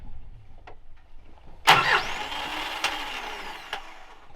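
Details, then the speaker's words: Isuzu 4x4 truck with starting trouble: a sharp clunk as the starter clutch engages, then a free high whir with the engine not turning over; starter fault suspected but unconfirmed, so the truck is to be pull-started. "Brock's having starting issues something's going on with the starters you can hear it like the clutch engaging that just seems to be spinning after that so I don't know"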